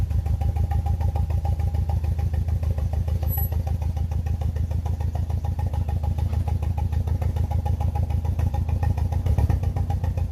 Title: BMW E46 318i N42 koil mati 1 #misfire #e46 #318i #ignitioncoil